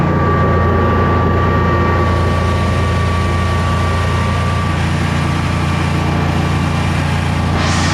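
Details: Generac Guardian 16kW standby generator, refurbished after exploded battery, running on gas under close to 6,000 W heater load: deep steady drone, even hum holding pitch, no hunting or stumbling; didn't even hesitate, healthy.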